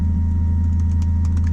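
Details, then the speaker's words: Turbo Honda Accord at idle with newly installed Walbro aftermarket fuel pump: a steady high whine sits clearly over the low idle rumble; the fuel pump is running loud even at idle. "Listen to this fuel pump. It is pretty loud. And even at idle, I can hear that thing pumping."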